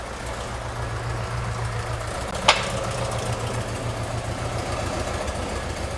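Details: 1971 VW Bus flat-four after installing dual carburetors and new exhaust and correcting the firing order; steady low thrum at idle with an even beat and no misses or stumbles, runs smoothly.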